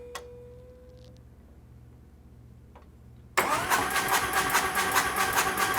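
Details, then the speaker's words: Freshly built Harley chopper at first start, before oil pressure has built: quiet cranking, then the engine fires with a steady top-end tick about two per second; a soft lifter is suspected. "Here's some ticking in there. Sounds like I've got a soft lifter already."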